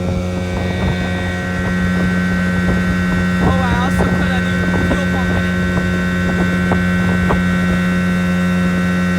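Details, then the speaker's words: 1980 Evinrude 15 outboard after a carb rebuild, new water pump impeller and rebuilt fuel pump, running under way at full throttle: a steady, high buzzing drone with an even tone over water and wind splash, with no knocks or misses. Healthy, normal running. "That's full throttle. Sounds good. Sounds kind of scary, too."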